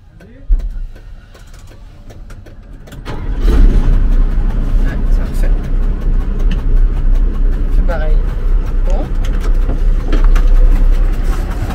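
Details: Magirus Deutz diesel camper truck, switched off and restarted to check a new noise after a hard mountain climb: cranks and catches, then a lumpy idle knocking two to three times a second; smoke from the oil breather, engine problem.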